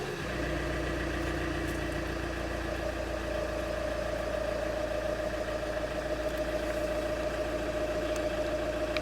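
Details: 2.0 HDi 110 diesel (807) idling with a steady rattling knock of about three to four beats a second over the clatter; engine knock of unknown origin.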